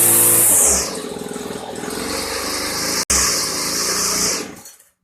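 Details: 1999 Weed Eater FeatherLite trimmer (Type 1 XPWES 0183LT) two-stroke, dormant over a decade, running after a new carburetor and fuel lines: buzzy revs up high, settles, revs again, cuts off cleanly. Clutchless, head spinning; normal running.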